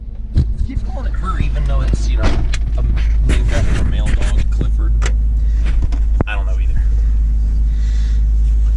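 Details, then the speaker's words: Toyota Land Cruiser after axle repairs, mirror swap and steering stabilizer reattached, started after sitting, pulling away around the block: steady smooth low rumble with no knocks or ticks; engine healthy. "She sounds healthy. Sounds happy."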